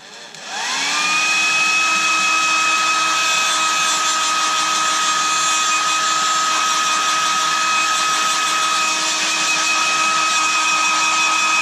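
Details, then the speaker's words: Hairdryer that began making a high-pitched buzzing: steady high squeal over the fan rush from switch-on, holding even pitch; suspected rubbing part or dry motor bearing. "there is a sort of high-pitched squealy noise somewhere in here um maybe something rubbing or a dry bearing"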